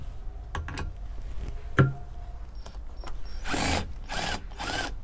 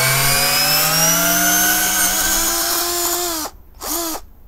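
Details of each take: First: Parkside PBSA 12 D4 12V cordless drill (28Nm max) in first gear at torque setting 7, freshly charged battery, driving large wood screws: motor whirs, then three short even ratcheting bursts as the clutch slips precisely. Normal clutch operation. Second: Parkside PBSA 12 D4 12V cordless drill (28Nm, 2-speed) driving oversized screws on a 2Ah battery with a hot housing: rough, dropping whine with grinding; plastic bits ejected from the vents. Fan probably fell off the rotor and is hitting the motor. Failing motor.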